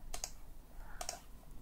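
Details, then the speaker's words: Microsoft Sculpt Ergonomic mouse after replacing the left button's push switch: crisp press-and-release click pairs, three times, in a quiet room; button now clicks and works, previously silent and dead. "you can hear the clicks it was not before and it was not working so basically this is all thank you and bye okay"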